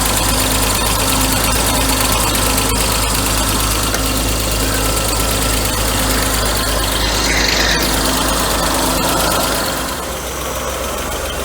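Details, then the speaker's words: 1992 Mercedes W124 300E M103, first start after head gasket install: fast, even ticking over a rough idle; new hydraulic lifters drained of oil, expected to pump up; air pump has noisy bad bearings. "only thing i hear is a lifter we just got to get pumped up with oil they are new lifters but i'm sure they they got drained they'll fill up"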